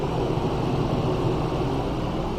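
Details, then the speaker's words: Truck camper non-ducted air conditioner fan running constantly while the compressor cycles, before coolingstat temperature control shuts it off: loud, steady, even fan rush with low hum, no rattles; normal but loud fan operation. "you can hear yourself think because that fan is pretty loud and anybody that has an air-conditioning unit that does this knows exactly what I'm talking about"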